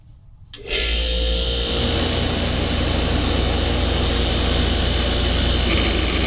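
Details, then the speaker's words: 1994 DeLonghi 40-pint dehumidifier starting up in a humid basement: quiet start rising to a steady hum with a loose uneven fluttering rattle, fan motor free play noise. "Oh yeah, of course you hear the free play in the fan motor. Of course, you may hear the compressor sound amplifying a little bit in the dryer."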